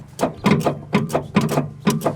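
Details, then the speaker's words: 1979 Steiger tractor with Cummins engine, sat 12 years, after hitting the starter; uneven bursts of weak laboured cranking, never catching; starter to be pulled for diagnosis, engine possibly locked up, not confirmed. "just sounds weak all right what we're gonna do is we're gonna pull that starter off that thing run some more diagnosis on it"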